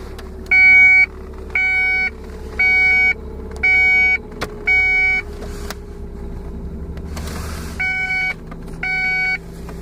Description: 1994 Ford Contour strange noise of unknown origin... Happens every 30 minutes.